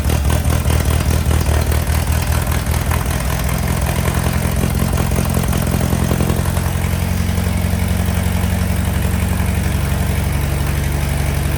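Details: 1961 VW Beetle barn find, unmuffled air-cooled flat-four after long sitting: steady, even low chuff settling into a smooth idle with no knocks or misses; healthy, though rear main seal leak suspected.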